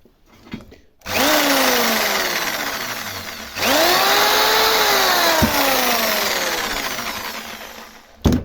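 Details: Electric jigsaw after repair, blade mechanism holders that had come loose refitted (motor ran but blade didn't move before): runs twice with no load, revving cleanly to a steady even buzz.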